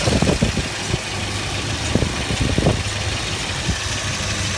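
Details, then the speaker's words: Volvo 740 at 107,000 miles, just after cap, rotor and distributor replacement, possibly burning a little oil. An even idle with no stumbles or misfire, just some light ticking plus one unidentified odd sound: a normal idle. "But the engine sounds alright. It sounds like I don't hear misfire."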